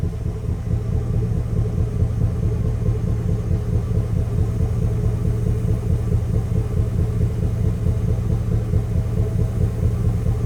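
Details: Chevrolet Express / GMC Savana V8 high-mileage work van: deep idle with an uneven, loping beat, the stumble of one cylinder not firing, an engine misfire.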